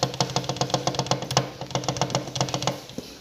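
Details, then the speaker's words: 2014 150cc motorcycle engine, magneto cover off: sharp metallic clunks about four a second at idle as the crankshaft walks in and out through worn bearing play. The noise grows as the engine warms and at high rpm. "o eixo do virabrequim ficar e para dentro para fora para dentro pode fazer esse jogo aquilo fazendo esse jogo entendeu o barulho"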